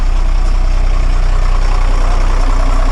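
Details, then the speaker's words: Bus diesel just after fuel sediment filter and fuel filter change, engine cover off, no leaks seen: loud, deep, steady idle with an even throb, no misfire or knock; normal idle. "i can't see anything leaking and it's now running"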